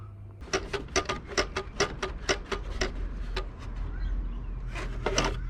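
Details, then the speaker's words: PS5 console in for HDMI port repair, tipped by hand: a quick run of light, evenly spaced clicks, about four a second. Something loose is rattling inside, an unusual noise. "something doesn't sound right in there I've never heard of that before"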